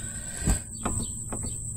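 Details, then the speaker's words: 2001 Ford Taurus front end rattle over bumps: short dull clunks with light rattle as the front sway bar end link is pried down; the bolt head in the plastic link is worn out. "this bold this nut or I should say around the head that goes into the plastic is wore out so this was my issue here"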